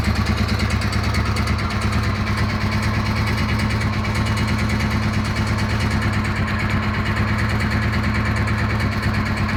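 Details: DR 650 motorcycle single-cylinder idling with a slightly uneven lope and a faint knocking beneath the beat; unidentified engine noise, cause unclear.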